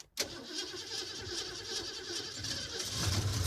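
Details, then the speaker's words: 1969 Mustang 302 V8 that sat over 27 years, started after a can-of-leak-fix radiator repair: catches almost instantly and settles into a steady, even, smooth idle; normal start and idle. "wow nice wow this is surprisingly smooth it runs mint"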